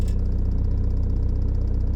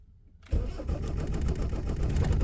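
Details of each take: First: Motorhome van diesel after its injection timing was advanced at the pulley. It starts immediately and idles with a steady, even clatter, about fourteen beats a second, with no misfire, no white smoke and a bit of black smoke: normal idle. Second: Motorhome van diesel, cold start at about 9–10° after sitting 2 days. It catches quickly but runs lumpy with stumbling beats at idle; later traced to injection timing set too late: retarded injection timing.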